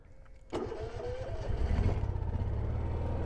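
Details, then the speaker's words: Honda EU7000is generator start just after fuel pump replacement, with a fuel pressure gauge fitted, then reading 43 psi: quick click and crank, engine catches and settles into a steady low run without stumbling; normal start. "Oh, that's better. 43, right where she's supposed to be. Like butter."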